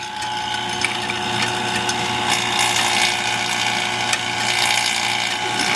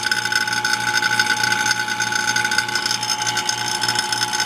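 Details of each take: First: Vacuum pump on a Ford Bronco AC system, with the gauge valves just closed: steady buzzing with ratchety mechanical chatter and a strained note; the pump labours against the closed valves before being switched off. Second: Vacuum pump evacuating a Ford Bronco AC system converted from R12 to R134a: steady motor hum with a fast, even rattling chatter on top, unchanging throughout; pulling down normally.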